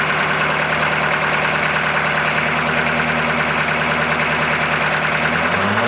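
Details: 1981 Buick Century 350 diesel, first run after sitting, glow plugs not working and one unplugged, air just bled from injector lines: loud, lumpy, uneven running, not firing on all 8 cylinders; misfire.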